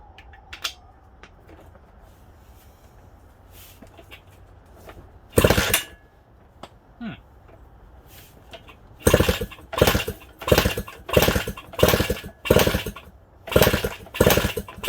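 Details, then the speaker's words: Suzuki DS100 on first start attempt after compression and carb work: repeated kick-over bursts about one a second, faint hints of firing but no catch; no spark found, won't start. "Alright, so we have no spark. Kind of sounds like it's trying to fire, but can't really tell."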